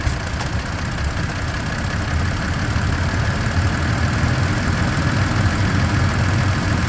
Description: 2. Helicopter-like sound can be heard @ 0:33 seconds and lasts all throughout this video